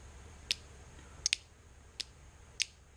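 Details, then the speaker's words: Automotive relay on the bench, switched as a high/low beam changeover with 85/86 coil feed: sharp crisp clicks including a quick double as the toggle is flipped, each one clean; relay pulling in properly, normal. "relay is clicking. That means it's activating."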